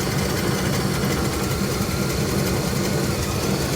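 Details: Engine restarted after tightening a leaking fitting, no leaks seen; even, low rumbling idle with steady firing and no misses, knocks or stumbles; normal idle.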